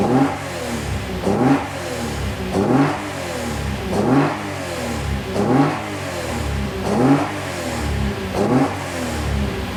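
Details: 2JZ ITB Toyota GX81 Mark II just after first start: crisp even throttle blips about every second and a half, each climbing and dropping cleanly back to a steady idle; healthy fresh build.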